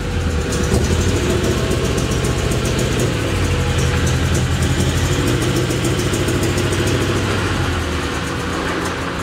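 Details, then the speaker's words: Honda Accord under leakdown test, plugs and leads refitted, running on only two cylinders; rough, lumpy idle with uneven low chuff and unsteady beat; misfire, cause not yet confirmed. "get it back out into the driveway you guys ready to hear two cylinders of Honda Fury"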